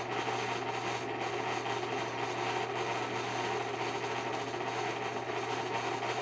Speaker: bad bearings, but the fan still works.